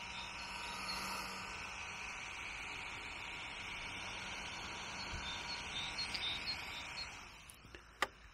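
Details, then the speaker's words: New DJI Air 2S drone powered on in standby with the props not spinning: steady high-pitched whirring hiss from the cooling fan at full blast while the underside quickly gets very warm; the owner questions whether this is normal. "it is just in what i would consider to be standby mode it's turned on but not doing anything but the fan is very noisy"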